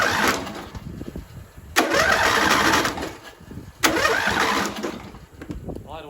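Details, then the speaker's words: Off-road mower build, with the battery and starter just wired in and no fuel yet: two strong one-second cranking bursts turning the engine briskly, no grinding or clicking. Starter works fine. "that start is working once we get some gas in there we're going to see what happens"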